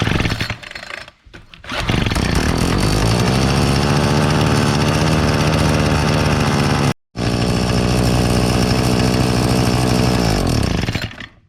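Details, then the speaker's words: Old Craftsman Incredi-Pull 32cc two-stroke leaf blower after priming the carb directly, with a known broken fuel line to the primer bulb: buzzes up to a steady high rev, cuts briefly, recovers and holds; carburetor works. "Alright, so it runs, so the carburetor's good."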